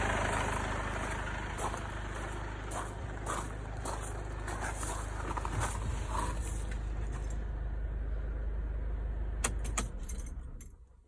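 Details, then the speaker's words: Mercedes B200 W246 with the OM651 diesel, after replacement of a faulty timing chain tensioner. It rattled briefly until oil pressure filled the new adjuster. Now a smooth, even idle with a steady low drone and no chain rattle, then the engine shuts off. "It was a little bit rattly until the oil pressure reached the new adjuster, filled it, and then it went quiet as a mouse."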